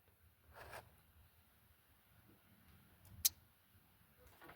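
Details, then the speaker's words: 1991 Ford F150 5.0L with a new front-tank fuel pump and no fuel pressure; grounding the light blue/orange wire. One crisp click as the relay pulls in; the relay is ruled out. Fuel pump relay clicking normally. "We're going to put a ground to it and we're going to listen for the fuel pump relay."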